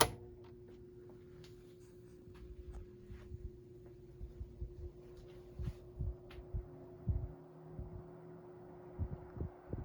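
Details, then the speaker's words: 1973 Frigid (Mitsubishi) GT16-S 16-inch oscillating fan, motor serviced, on low speed with oscillation off: quiet steady hum with faint constant tone, no rattle or scrape; running normally. "So I guess we'll start it on the low speed here. Make sure the oscillation's off. And we're running on low."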